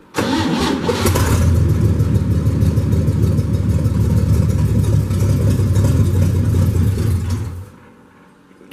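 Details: 1965 Chevy truck cold start, third one, with the non-original muffler removed (open exhaust), in neutral, before the carburetor rebuild: catches quickly into a loud, deep, raw rumble with a brief throttle blip, running even and healthy. Normal cold start.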